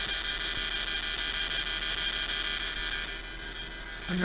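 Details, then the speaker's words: Flip 5 portable speaker: a constant electrical hum with a shrill high screech, steady until the unit is powered down; the cause was not identified. "I gotta power it down. Oops. That's the only way to turn it off. It's so weird."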